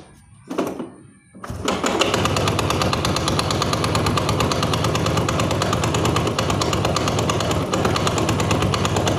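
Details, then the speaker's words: Honda Astrea Grand motorcycle engine running with harsh fast metallic clatter, caused by a loose flywheel (magneto) retaining nut and a bolt likely left inside the magneto by a previous shop; smooth after fixing. "Hari ini saya ada karapan motor Grand ya suaranya kasar sekali seperti yang sudah teman-teman dengarkan barusan ya"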